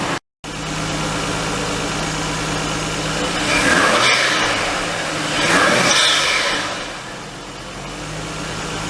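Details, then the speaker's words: R32 Skyline RB25DE engine on new NP Boosted/Napol ignition coils and harness, after warming up a little: smooth idle, then two clean free revs rising and falling without stumbling or popping; normal revving. "so it revs up smoothly and everything."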